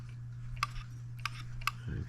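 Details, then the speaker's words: Late-1940s/early-1950s Wilkemp Jr Model E electric solenoid engine, apparently new old stock, transformer stepping 110–120 V down, crank turned by hand: three crisp clicks over mains hum as the crankshaft-camshaft profile presses the contact closed; normal contact clicking. "and if you can see back in here the profile on the crankshaft is also the camshaft and it operates by pressing down on this contact to complete the circuit"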